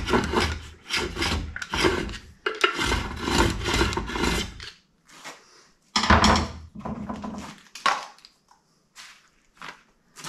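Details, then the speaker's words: VW transaxle bell housing being ground out to clear an upgraded 12-volt flywheel, after three rounds of grinding: the hand-spun flywheel scrapes in rough bursts at a couple of small remaining spots. "same thing we're just going to spin this thing you can hear it grinding just in a couple of small spots now so we should be should be getting pretty close to finishing this up"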